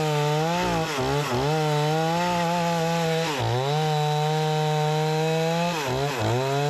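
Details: Repaired Remington 46cc two-stroke chainsaw cutting large tree-branch logs: strong high scream sags briefly into each cut and snaps straight back; pulls hard and clean with plenty of power, healthy engine under cutting load.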